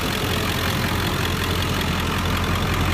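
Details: 2001 Ford F250 diesel, manual, started and heard under the open hood: steady even low idle rumble, no knocks or misses. Normal diesel idle.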